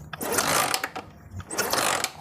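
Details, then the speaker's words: Honda Megapro motorcycle that is completely dead, with a replacement CDI fitted by the owner: two rough, rattling kick strokes with no firing, and no spark at the coil wire or plug. It cranks but won't start. "Nah ini kita langsung cek bunga api dari kabel koil ini kita kasihkan segini ini ya saya engkol ini ya terdengar ya suara engkolnya itah nah dia enggak ada"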